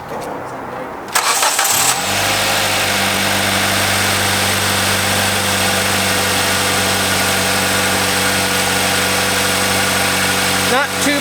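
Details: 2010 Kia Soul, 2.0-liter, 220,000 miles, start: brief crank, quick catch, then steady even idle with no knocks, ticks or misfire; healthy for its mileage.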